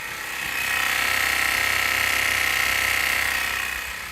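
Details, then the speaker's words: 1971 MGB GT, 18,000 miles, ignition on, fuel pipe off: harsh high buzzing drone with fast rattle from the electric fuel pump underneath, swelling and fading. "So either the fuel pump's knackered or there's no fuel in it."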